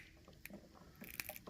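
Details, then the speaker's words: Wall light switch on a 120-volt circuit being moved: faint, irregular crackles and crunchy snaps, lights may go out; failing switch, replacement recommended. "a lot of times what happens is you'll hear crackling or the lights will go out if that's the case I do recommend replacing the switch or the outlet"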